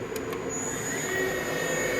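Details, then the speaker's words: Matsuura MC 510 V CNC machining center spindle at 4,000 rpm, not warmed up: steady clean whine with faint hum, no knocks, grinding or wobble; bearings healthy, machine apparently never crashed. "There's 4,000. Still super smooth and quiet. You can tell this machine hasn't been crashed, hasn't been beat."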